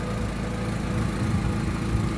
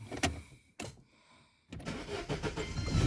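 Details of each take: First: Daewoo Lanos 1.6, brought in with an engine knock and misfire, at idle: low even rumble with a fast tick from a holed exhaust flex pipe leaking, later fixed by welding. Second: Daewoo Lanos 1.6, brought in with engine knock and misfire, after repair and exhaust corrugated pipe welded: starts and settles into an even, steady idle with no knocks, ticks or misfire.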